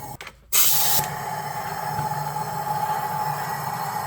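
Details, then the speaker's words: High-mileage BMW E36 M3 S52 inline-six, leakdown test on cylinder 4: sharp burst then steady rushing air with faint whistle escaping; large leak, owner suspects warped head or head gasket. "Definitely a head issue. There's like a draft of air coming out of cylinder 4."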